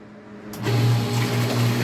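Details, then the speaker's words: Half-HP peripheral water pump drawing from a container, after refilling and plugging to purge air bubbles: kicks on and settles into a steady, even low hum with no surging or rattle, sucking water immediately at good pressure; normal running. "Observen la bomba, cómo inmediatamente hizo la succión. Y observen cómo se mantiene la bomba succionando agua a una muy buena presión."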